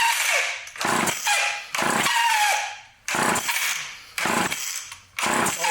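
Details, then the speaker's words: Vintage Craftsman chainsaw with Power Sharp self-sharpening feature, recoil just lubricated: six rasping recoil pulls about one a second with silence between, never catching; cranking no start, carburetor not pumping up any fuel, possibly needing a simple carb rebuild and fuel line replacement. "it's not pumping up any fuel all right so let's take the carvet trator up"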